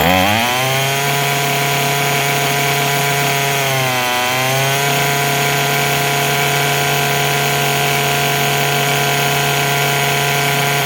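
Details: Craftsman 27cc two-stroke string trimmer, made January 2013 and obtained free: it revs up cleanly, dips briefly, then holds a steady, crisp buzzing tone without stumbling; normal running, it sounds pretty good, though it is smoking.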